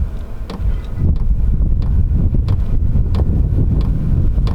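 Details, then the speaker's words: Vevor diesel heater during startup after glow-plug preheat (about 190 W): steady low blower roar swelling as fan speeds up, with regular fuel-pump tick every two-thirds second; normal running. "There's the fuel pump. You can hear that ticking away, and I can hear the fan starting to increase a little bit. That's awesome."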